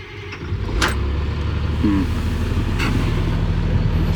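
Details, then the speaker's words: CAT 336 excavator that won't crank in cold weather, engine warmed 10 minutes then restarted: warm diesel turns over and catches promptly into a steady deep rumble; warm cranking normal, cold fault not reproduced. "No, the engine's warm. It sounded like it cranked fine there."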